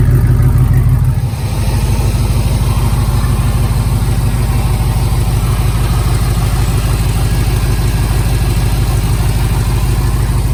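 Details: LS-swapped 1987 Chevrolet K5 Blazer after Holley EFI fuel rails, regulator, pump install, injectors pulled and O-rings replaced, pressure set around 30–32; steady even V8 idle with smooth firing beat, no misses, ticks or stumbles. Normal idle.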